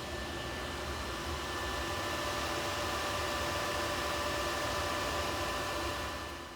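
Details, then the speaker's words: Server about 10 years old, one of two, in a basement with many fans: loud steady rushing roar with fixed whine tones, very noisy server-class system. "It's a server class system that is very noisy. It's got a lot of fans in it, and but its internal electronics are fairly simple."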